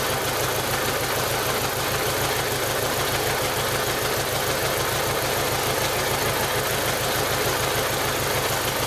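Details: 1995 Jeep Wrangler YJ 2.5L four running rough around 1500 rpm: uneven, lumpy loping pulses. Cylinder one has a blown head gasket seal and about 70 psi compression.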